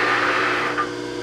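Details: Bridgeport J-head mill after locked sheave repair and new belt, 3-phase, spindle run: smooth steady motor hum, constant tone, no knocking, grinding or squeal; running normally.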